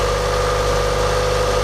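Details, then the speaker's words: Mazda Miata restarted after dead battery was charged, following battery light and coolant boiling/overheating on the road; smooth, even idle with steady hum, no knocks, squeals or misses, sounding much better than before. "Okay, so it starts. It sounds also better now. Yes, that sounds a lot better."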